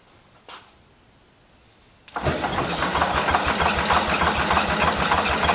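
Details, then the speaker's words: International Harvester Cub Lo-boy tractor C60 engine, first start after rebuild with oiling system primed: fires on the first turn and settles into an even beat of about three pulses a second, smoking from assembly lube; healthy start. "I was not expecting that to start that easily um that was that was the first start first turnover and it just lit right off"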